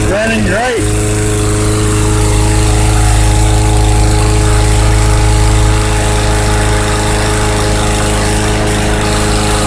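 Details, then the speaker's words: 2014 Bolens/MTD 11A-BOBL765 21-inch push mower, 140cc Briggs & Stratton 500 Series engine, after fuel tank clean-out for old-fuel no-start: fires after quick pull, steady even drone, no misses or surging; running well. "seems to be running fairly well with that tank clean out let's start it again"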